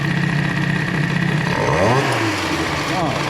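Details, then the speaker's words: Airsal Nitro 50cc two-stroke moped engine with a PHBG 20 carburettor, main jet lowered and slightly lean at the bottom end: crisp idle, then clean throttle blips rising and falling without stumbling; runs very well for a 50. "Enfin bref, dans tous les cas, ça marche du feu de Dieu pour un 50."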